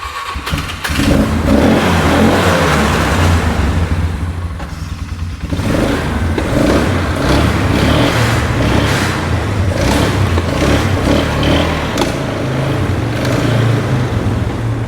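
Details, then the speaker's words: 2008 Polaris Ranger 500 UTV, clutches fitted with the clutch cover off, after a drive to clear it out. Engine catches, revs rise and fall a few times, then settles into a steadier idle without stumbling. Now idling better. "It's wanting to idle better now, that's for sure."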